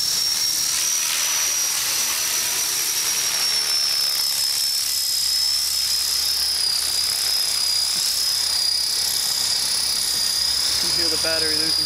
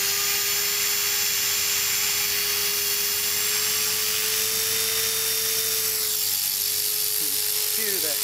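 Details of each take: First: Trex 450 RC helicopter after crash rebuild with metal head and tail mod: high steady motor whine slowly sinks in pitch during flight as the battery runs down and rotor speed drops. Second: Trex 450 RC helicopter after crash rebuild with metal head, tail mod and gyro raised from 83 to 87, on a fresh battery: strong, steady high hum with a clean even tone, no wavering or rattles. Normal rotor spool-up.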